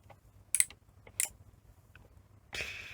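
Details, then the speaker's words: Sony SL-C20 Betamax front-loading mechanism after adjusting its geared switch: two crisp light clicks about half a second apart as the cassette goes in; loading switches properly adjusted. "And what what it should sound like is Oh, belt got caught. Um, tick tick when you push the cassette in."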